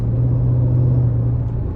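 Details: 2004 Mercedes E55 AMG under hard throttle from a 0–60 pull after supercharger bearing repair: deep steady rumble, tires light up, no chirp or whine from the blower; supercharger sounds healthy.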